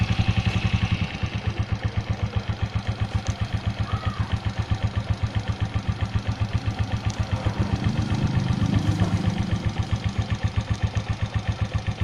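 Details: 2004 Suzuki Shogun 125R single, clutch plates, clutch housing, cam chain and its rubber replaced a year earlier, idling: a steady quick tapping, roughly four a second, over a clean low thump; abnormal engine noise at idle, source unknown.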